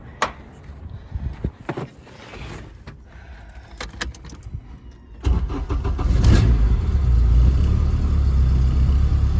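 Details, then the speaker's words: Honda del Sol with a K24 swap and exhaust just reinstalled, checked for exhaust leaks: after some clatter it catches and settles into a steady, even low rumble with no ticking or puffing; no exhaust leak. "All right, yeah, sounds good."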